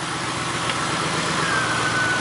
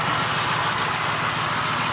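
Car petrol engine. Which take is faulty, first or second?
second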